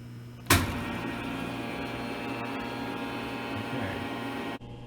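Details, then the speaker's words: Hydraulic pump of a tensile test machine started with the green button to float the loading table up 0.5 inch before steel tensile tests: clunk as it kicks in, steady even hum without whine or rattle, clean cutoff; normal running. "float the table by going to this selection right here go to 0.5 inch but nothing's going to happen until i start the pump so to turn on the pump i press the green button"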